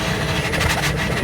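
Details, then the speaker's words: Trane Voyager premix burner at high fire, gas valve inlet pressure not yet set: loud roaring burner with an uneven rise-and-fall whoosh every few tenths of a second, combustion whooping from unstable flame; fix is adjusting inlet gas pressure to 8–10 inches water column. "Okay, you guys can hear it whooping a little bit. That's what I'm talking about."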